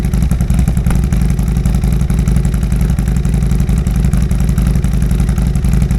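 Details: 2022 Harley-Davidson Road Glide, first start after Cyclerama CR483 cam install: deep, lumpy V-twin idle with an even loping beat, crisp and steady; engine sounds healthy.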